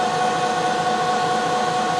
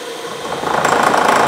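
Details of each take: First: 1 HP Bridgeport R8 milling head on a converted planer, 5-inch 45-degree face mill, light finish pass on bar: even high cutting tone over steady hiss, no chatter or pulsing; pretty smooth surface. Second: 1 HP Bridgeport R8 milling head on a converted planer, 5-inch face mill, roughing pass about 40 thousandths deep on hot-rolled bar: harsh rattling chatter at start from spindle too slow; faster speed cuts better.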